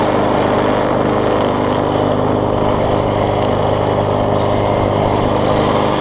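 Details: Bolens front-wheel-drive self-propelled push mower with roughly 4.5 hp Briggs & Stratton, after regapping ignition coil that sat too far from flywheel (had no spark): steady, even single-cylinder drone, no misses or surging; runs smoothly and strongly.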